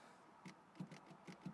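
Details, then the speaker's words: Porsche 944, likely 2.5 four-cylinder, no crank/no start: with the key on and dash lights up, soft, uneven repeated clicking, about three or four a second, heard in a quiet cabin. Wiring under the dash is suspected. "So the customer's complaint so what I done here was, there's the key goes in there, so you turn it and you get the dash lights coming up. I don't know if you can actually hear that, you just keep clicking."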